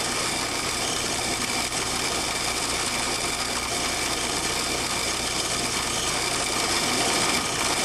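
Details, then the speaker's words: Valve cavitation test rig: inlet pressure raised from 100 to 150 then 200 psig, and a loud, steady, gravel-like hissing roar with more noise and vibration, about 108 dBA; with back pressure removed the flow stays a vapor-liquid mix, i.e. flashing. "the inlet pressure is increased from 100 to 150 psig and then to 200 psig that an increase in the level of noise and vibration is experienced under these pole conditions the sound pressure level is about 108 dba"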